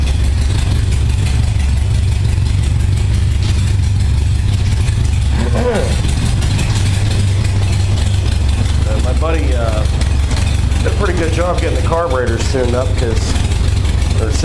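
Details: 1978 Honda Goldwing warming up after a cold start on choke, following carburettor sync, about 52°F ambient; smooth, even low rumble near 600 rpm with no misses or stumbles. Synchronized carbs, it never idled this evenly before.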